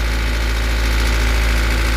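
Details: Toyota 5E (possibly 4E) engine idling with a diesel-like tapping from the cylinder head, quieter when revved, not bearings, rods or crank; installing the camshaft gear spring tensioner did not help; top-end clatter at idle, cause not found.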